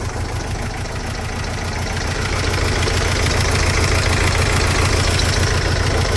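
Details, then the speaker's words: Mercedes Sprinter diesel idling lumpy with a regular stumble about three per second; one cylinder missing. Diagnostics show cylinder 2 smooth-running correction out of permissible range; number two injector suspected. "but they still loving itself but she's definitely missing"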